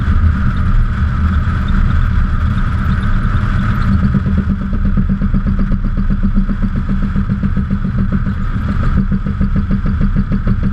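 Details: 2002 Subaru Impreza: hard regular knocks under braking over road and engine drone. A fender-mounted camera shows a wheel wobble, and the owner suspects the caliper may be contacting the wheel.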